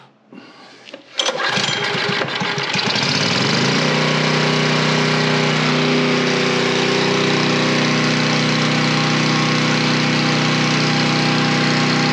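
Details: Coleman Powermate 3250 W generator, 6 hp Briggs engine, after carb cleaning and plastic-welding the cracked fuel inlet: fires after a brief crank and settles into a steady, even governed run without hunting or misfire, no leaks; healthy.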